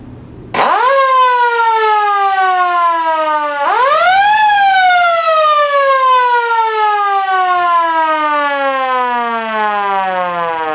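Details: Sireno M1 siren first power test after repairing its non-working motor: winds up to a clean rising wail, repeats, then coasts smoothly down with no rough spots; motor running healthy.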